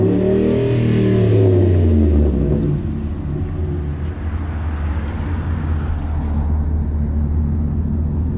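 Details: 2010 Ford F-150 just fitted with a Rough Country dual cat-back exhaust, idling then revved: deep smooth rumble rising on a couple of quick revs and settling back, no rattles or leaks; exhaust sounds healthy.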